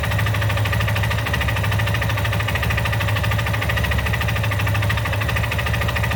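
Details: Yamaha XTZ Lander 250, 2020/21 model with 34,000 km, at idle: single-cylinder thumps with a fast, regular tapping riding over the low beat, steady throughout; abnormal engine noise, cause unknown.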